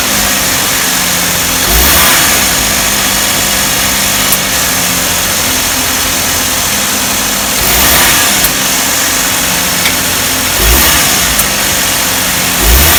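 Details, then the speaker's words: Car engine running after the slack AC belt was re-tensioned tight, with light throttle blips. Steady running with no squeal or chirp from the belt; the noise near the AC magnetic clutch has stopped. "なんだ、鳴りやんじゃったじゃん。"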